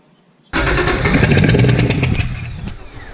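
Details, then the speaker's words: Cranking with spark plug number six removed after lots of water found in that cylinder on a car whose MAF/MAP sensor gets wet; loud rough chuff about four per second with hissing spray as water blows out, head gasket suspected. "left the spark plug out um opening the cylinder there so any water does get shot out which it did in the first cycle around"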